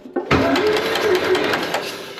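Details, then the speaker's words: 1951 John Deere B with a magneto, cranking before fuel is added: crisp, regular snapping spark ticks over a light cranking whirr, a strong hot spark. "oh yeah nice nice hot spark these magnetos tend to have hotter spark than the 12vt Distributors"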